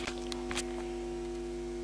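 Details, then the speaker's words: Hand-wired transistor audio amplifier (1 µF coupling between stages) with its input touched by a finger: steady low mains hum under a few handling clicks, picked up by the circuit and gone when released. "what you hear now when I touch it with my my finger the circuit picks up him now it's gone"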